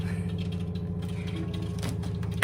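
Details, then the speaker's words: SimPure Y7 countertop reverse osmosis filter, new unit in its automatic power-up flush (up to 30 seconds): steady low electric hum with a faint trickle of water, even and unchanging; normal pump flush cycle. "After powering up the unit, it will automatically flush for up to 30 seconds. And then you can use it. Easy enough."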